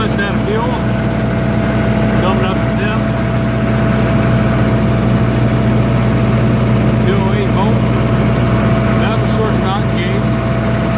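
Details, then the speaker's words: 1995 Libby MEP-804A 15 kW ex-military generator, 4-cylinder liquid-cooled Isuzu diesel rebuilt in a 2010 reset, 688 hours, new filters and fluids, started cold, 1800 rpm: steady clean unwavering drone, no knocks or misses, running healthy. "all good as you can hear it runs great no unusual noises whatsoever no leaks"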